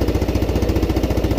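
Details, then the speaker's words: Used Yamaha Jupiter Z (Robot) in poor condition, first start idling: loud fast even thumping with harsh rattle; exhaust leak and suspected clutch damage, piston to be replaced. "nah ini agak ini berarti ada kesalahan di apa ada kerusakan di bagian perkopringan nah ini guys kita lihat kita dengan suaranya yang pasti ini knalpotnya"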